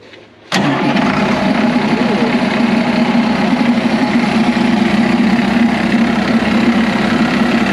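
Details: DT466 diesel in M36A2 2.5-ton truck chassis, started after bleeding air from fuel lines: cranks briefly, catches at once and settles to a steady, even idle with no stumbling or misfire.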